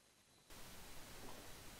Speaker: olha o ruído que tá tá foi gerado né é no celular não existe ruído tá do celular fica sem esse ruído horroroso é por conta do pc